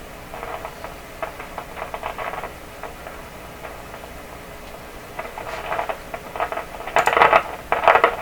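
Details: 1929 Victor RE-45 radio after swapping in a third #27 detector tube at full voltage: irregular bursts of scratchy crackling and popping over a quiet hiss persist; intermittent partial-discharge-like noise, source (tubes or elsewhere) not yet found.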